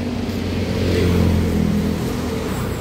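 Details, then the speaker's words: Vehicle with a single 12V battery, tested okay (owner calls it two years old): low, labored cranking drone that never speeds up or catches. Starter struggles to turn; engine fails to start. "Ayan guys ayaw umstart. Parang hirap umikot starter."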